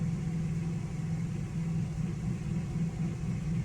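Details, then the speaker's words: Generator on eco throttle idling under light load, air conditioner fan drawing about three amps before compressor start, testing Micro-Air Easy Start soft starter; steady low drone with even beat, no hunting or surging; normal idle under light load. "if i come out here you could probably you can hear the generator still sounds like it's idling with the fan on which was probably drawing about three amps"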